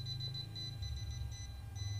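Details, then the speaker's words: Non-contact voltage tester traced along a water pump cable (one cable deliberately cut for the test) beeps steadily over a low hum where the phase is still live. "hey masih ada setrumnya sampai di sini ya"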